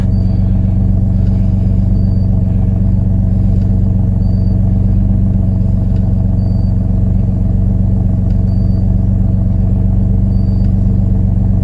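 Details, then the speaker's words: 2004 Nissan Maxima that runs then dies, parked after codes were erased; even, fast engine drone with no hunting, idle still too high; codes for idle speed control engine speed input and electronic throttle control; high idle. "she's still idling too high"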